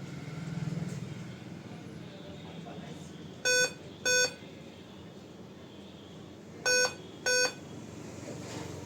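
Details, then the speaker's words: Dell 5000 series laptop at power-on: two short high beeps, about three seconds pause, then two more; RAM suspected as likely cause, two RAM sticks to be cleaned and reseated. "जहां तक इसकी sound की beep sound की problem है। ये रम की वजह से के चांसेस ज्यादा है।"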